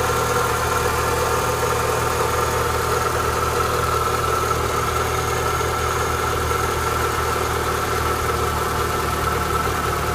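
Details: Renault Clio 182 at cold-start idle: constant thin whirr riding over the engine from a worn-out water pump.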